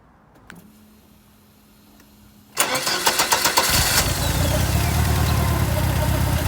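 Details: Ford Escort RS Turbo, forged 1.6 CVH, big-valve ported head, Kent 35 cam, Cosworth L8 ECU, green injectors, 3-bar MAP, after engine bay loom tidy: brief cranking then catches cleanly into a steady even idle, no misses or knocks.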